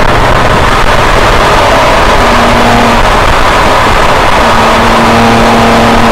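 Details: 2007 BMW E90 335i N54 with custom transmission tune fixing shift misfire, on track lap: loud, hard-pulling engine at full throttle; upshifts come through cleanly with no stumble or flare in the revs, normal full-throttle upshifts.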